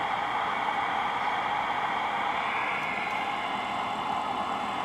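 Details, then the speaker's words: Cobra 2000 CB radio with no receive light and stuck meters, fed strong RF generator signal with tone off: constant even white-noise hiss where it should be quiet; receiver hiss, suspected out of tune or faulty, cause unconfirmed. "but I know you can hear that white noise now there shouldn't be any noise it should just be strong quiet"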